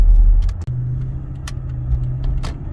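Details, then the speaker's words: 2007 Lexus LS460 with new tires, at 40–50 mph under throttle; deep drone like rumble strips, whole rear end shaking, stops off throttle; owner suspected driveshaft or U-joints, and transmission problems were later repaired; vibration under throttle at highway speed. "I don't know if you guys can hear that. I'm trying to see if you guys can hear it. There it is. It's like the whole back end is shaking. There it is right there."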